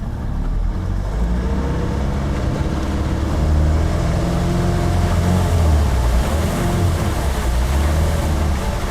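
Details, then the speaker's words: 1974 15-foot VIP Tri-Hull boat with Mercruiser 3.0, new Pertronix coil and module, freshly rebuilt carburetor: engine drones under load near cruise and stumbles unevenly, sounding fuel-starved; owner suspects float level issue, unconfirmed. "Nope. Running out of fuel, it sounds like. Running out of fuel."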